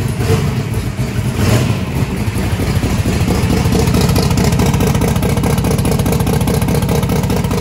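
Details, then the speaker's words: Truck V8 with belt-driven fuel pump, just swapped from gasoline to methanol: loud choppy firing, heavy low rumble and clatter at steady idle, about 4.7 air/fuel ratio, may be leaned out; normal running on methanol. "that was idling about 4.7 air/fuel ratios it's pretty good we might be able to lean it out so okay it's brutal on you on your lungs"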